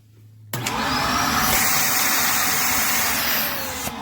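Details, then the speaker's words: Shark UV725 vacuum with a split, coming-apart hose: motor spins up to a loud airy roar with a steady thin whistle; noise stops when the hose is removed, and suction is lost through the damaged hose. "I took everything apart, replaced it with the other one, and it came down to this hose, and it started causing this noise."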